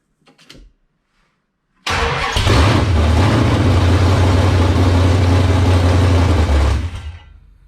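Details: 1978 Dodge Warlock truck, 360 small-block stroker V8, first start after raising idle: quick catch, strong even rumble before shutdown; runs cleanly, 75 psi oil pressure at idle with high-volume oil pump.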